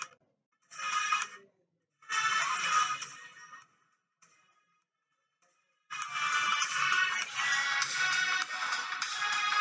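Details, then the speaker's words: Apple MacBook (model 1502) laptop speaker after repair with rubber glue and reassembly: clean music in bursts with crisp treble, no buzzing, rattling or crackle; speaker now plays clearly and full. "I'm not sure how my mic is recording but it is working fine and it is full"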